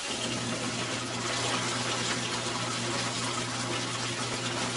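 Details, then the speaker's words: Maytag washer, not starting, lid switch bypassed with jumper wires for testing; set to low water level, warm temperature, timer at cycle start: steady rushing water with a low even hum, no clicks or stalls, filling to level normally. "Let the washer fill to the selected level and start agitating."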